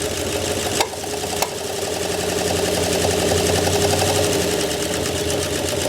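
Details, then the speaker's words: 1968 Oldsmobile Delmont 88, reportedly 62,000 original miles, parked 36 years, first run after revival: uneven, lumpy idle with irregular beat and slight misses; owners suspect crossed plug wires, cause unconfirmed; timing chain work planned. "Yeah, it's idling. >> Yeah. Let's Let's go back over them wires real quick and make sure we didn't crank a couple of them around."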